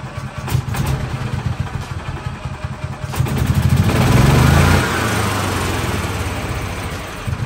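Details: 2013 gas-powered electric-start golf cart, in neutral, after repair work: starter cranks about three seconds, then the small engine catches, revs briefly and settles into an even chuffing idle.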